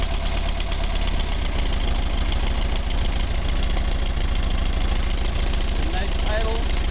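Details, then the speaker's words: 1959 Mercedes 190c engine in final tuning, timing 38° maximum total advance: smooth, even idle with a steady low beat and only a faint light clicking; engine sounds healthy. "nice idle sounds good sounds good yeah got a little click click click let's see exactly yeah that's all right"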